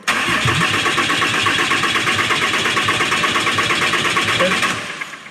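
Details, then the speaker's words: 2008 Dodge Ram 2500 6.7 Cummins after turbocharger replacement, injectors unplugged to disable them: starter cranks engine evenly about four seconds without firing to check turbo oil feed flow, which gives a good steady stream; normal cranking. "Now I'm going to take a container here, and I'm going to put the oil feed line in here, have an assistant crank the engine over, and we're going to just make sure that we've got good oil coming out of this."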